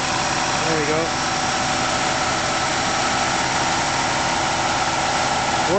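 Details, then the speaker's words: 1994 Buick Roadmaster LT1 idling with a new A/C compressor and the A/C on: a low, rough growl underneath. Stethoscope check points to the compressor itself, not a bearing; pressures 30 psi low side, 150 psi high side, air ice-cold. "is just a little bit noisy growl and the county put a stethoscope on they said it's not for mean barring it's the compressor itself"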